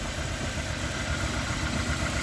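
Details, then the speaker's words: Honda Accord CB7 with a G23 VTEC engine, newly installed: a lumpy, uneven idle from a misfire. Spark was confirmed at all plugs, and unplugging injectors later points to cylinder number two. "as you can hear she's misfiring pretty good"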